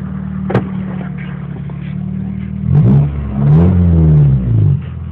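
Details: Honda B21A1 engine revving up and down: a deep knock rides under the exhaust note and gets heavier with revs; rod knock.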